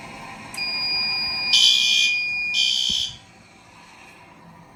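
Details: Garage fire sprinkler system test, water draining into a bucket: shrill high alarm tone for about two and a half seconds with two louder pulses, then it cuts off; waterflow alarm working.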